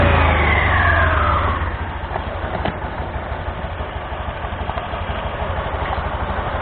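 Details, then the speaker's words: Honda Scoopy (Scoopy Donut) scooter after replacing damaged drive belt and front roller housing that caused loud CVT noise: starts, revs and settles into smooth even idle with steady pulses, no rattle or slip; normal CVT operation. "Sekarang kita akan coba untuk menghidupkannya, untuk melihat fungsinya apakah sudah berfungsi dengan baik."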